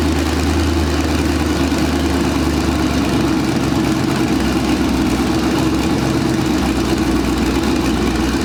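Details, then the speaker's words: Mazda RX-7 with twin-turbo Gen 3 5.3 V8 (stock pistons/rods, 243 heads, mild cam), first start in 2 years: deep drone rising and falling, idling near 1000 rpm instead of target 850; owner suspects faulty wideband O2 sensor. "for some reason the wideband o2 sensor is acting crazy and it's messing up with the idle so right now I want it to idle it at 8:50 and it's idling it like a thousand rpm and it's like surging up and down"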